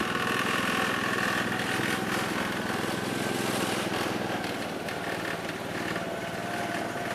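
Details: 1969 Gravely 432 small engine, next morning at about 15 degrees, first drive after carb float level fix; steady even putter under light load, no misses or knocks. Normal running.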